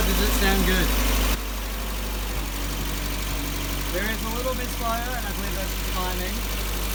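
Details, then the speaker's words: Isuzu Rodeo 4ZE1 four-cylinder after top-end rebuild (new head, old cam and rockers), compression not yet checked: even steady idle, smooth low rumble, no misses or knocks; stable on all four cylinders. "but holy full also i'm sure you can hear it and see it in other videos but look how stable that engine is"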